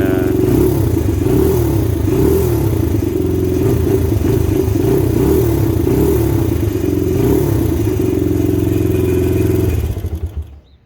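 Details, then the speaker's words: 2000 Honda XR100 with blown top end and low compression, ice cold before BBR 120 big bore kit: single revs unevenly with hollow rattly clatter under the exhaust beat and some smoke; piston slap. "So it's still completely ice cold. It's a really jank Kickstarter situation here, but we'll go ahead and see. As you can hear, it has a little bit of piston flap, and"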